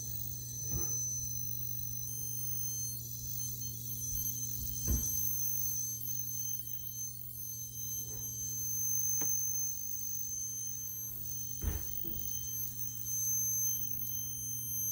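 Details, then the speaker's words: 4600 CRT monitor, about two minutes after power-on while warming up: thin, piercing whine and screech over a low hum. Source suspected near the flyback; pitch changes when the area is pushed. Cause not confirmed. "Okay, it's just whining right now. There it goes again."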